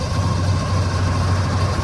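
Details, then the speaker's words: Electric Yacht 10 kW electric motor replacing the diesel in a vintage schooner, engine cover off, in the slip, phone recording: steady low hum with faint even whine at about 1,000 to 1,300 rpm; runs smoothly. "So we're gonna bump it up. That's right at 1,000 RPMs, about 1,300. The boat's moving in the slip pretty good."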